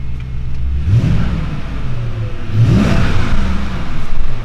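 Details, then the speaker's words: BMW E38 740iL, M62B44TU V8, after timing chain replacement: two clean revs climb and drop back to a steady, even idle with no misfire or shake. Normal revving. "it seems smooth it runs as it's supposed to run so yeah actually even the first start the car didn't shake or anything like that which is promising"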